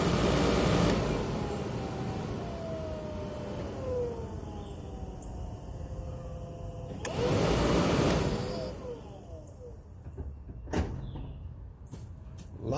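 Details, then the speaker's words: Squarebody truck, replacement blower fan motor just installed: fan hum rises and falls smoothly with rushing air and no rattle, scrape or squeal; normal blower motor, the old one's noise gone. "that thing works pretty pretty good it didn't make all that noise"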